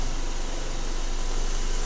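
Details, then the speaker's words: Vehicle raised, engine running in gear with parking brake set and wheels chocked, spinning wheel: steady hum and even rushing, no grinding; this side's axle and wheel bearing are quiet; the rolling noise customer hears while driving comes from the other side's bearing, likely needing the whole axle. "all right this one is turning it's now quiet nothing nothing going on on this side this side is quiet"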